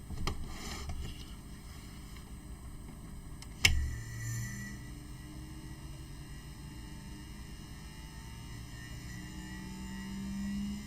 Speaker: it sounds like a motor spinning up and the Count's going up at the same time